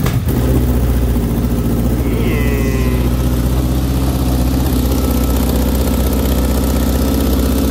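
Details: Honda CBR600RR (2003–04 type, no big muffler box, two small cats) project bike on its first start after repair, with fresh fuel. A loud, steady, rapid burble from the unmuffled exhaust with an even beat; it runs cleanly and sounds healthy.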